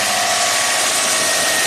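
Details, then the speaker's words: 2005 Subaru Legacy Turbo, 82,000 miles, that barely runs with the alternator connected; started before the alternator is plugged in: even, steady idle with a light whirr, no stumbles or ticking; sounds normal. "okay sounds just normal sounds"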